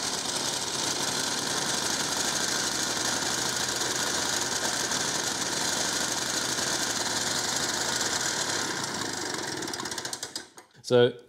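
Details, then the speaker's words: 1950s Ransomes 20-inch Antelope Mk1 lawnmower, 98cc two-stroke, drill-started: high buzzy note held at full throttle with uneven beat, then stumbles and dies; won't idle; very low compression, likely needs piston and rings. "this thing actually does run although not very well as you can see uh had to keep it at full throttle in order to basically just keep it running"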